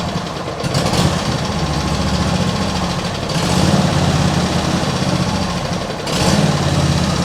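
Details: Cold petrol engine with automatic choke at idle: revs rise and fall about every three seconds in slow uneven hunt; owner suspects water in fuel after washing or choke; carb never cleaned, cause unconfirmed.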